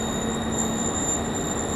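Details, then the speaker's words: Perforated sheet-metal facade screen in a wind tunnel airflow; piercing, steady, very high-pitched squeal over the wind rush, very penetrating — wind-induced whistle. "you can hear this it's a bit very very penetrating very very high pitched very disconcerting to be to be next to"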